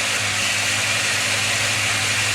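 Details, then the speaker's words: Rlaarlo RC car with Surpass KK 60A ESC, Spektrum SR215 receiver and SX5C transmitter, throttle raised to 110% where RPM kicks higher; steady high-pitched whine, smooth and even at full throttle; normal full-throttle motor run. "It's at 110 that it's get a bit higher RPM, and it's almost like it's kick in."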